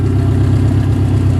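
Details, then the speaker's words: Junkyard 1998 Subaru Legacy idling with air conditioning on: steady low idle with the compressor running evenly, no squeal, knock or grinding; pressure side hot, return cold, AC working normally. "Yeah, it's getting hot. Pressure side, and the return is nice and cold. You hear that spike punk? The air conditioning works in this junker."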